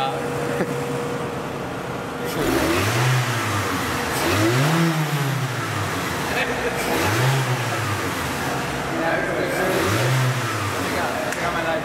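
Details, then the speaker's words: Mitsubishi Galant, after MAP sensor replaced: four throttle blips, revs rise sluggishly and sag, car falls on its face; Pico scope shows MAF signal breaking up and cutting out; bogging from faulty MAF sensor. "know did you hear that engine from bog down going play it back in a second you're going to see on on the Pico scope"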